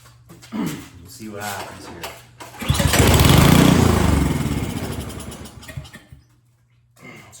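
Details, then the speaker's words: Snowblower that won't start, spark confirmed, primed with starting fluid in the cylinder: cranking pulls, then a short burst of firing that dies within seconds; suspected fuel starvation, not drawing fuel from the carburetor. "like I said, all that did and all it's going to do is just well, if it's a fuel issue, right? If it's not sucking fuel from the carburetor or anything like that, right?"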